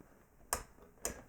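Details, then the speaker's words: 1981 MORA2 bioresonance therapy device, counter timer circuit: two crisp, dry clicks about half a second apart as the internal relay switches the output on and off normally. "Yeah, everything this counter timer circuit here does is, you can hear it, it has a relay inside. Maybe you can hear it. And it simply switches the output here on and off."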